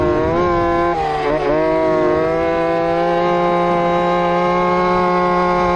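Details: Two-stroke RC Big Foot, hot pipe, top-end needle adjusted, about 28 mph: high buzzy full-throttle wail wavering and dipping before steadying; at lean limit, breaking up.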